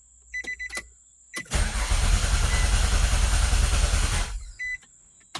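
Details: Nissan Altima race car after a connector was cleaned and reseated and the battery reconnected: starter churns the engine at a quick, even beat for about three seconds but it never fires; crank no start persists.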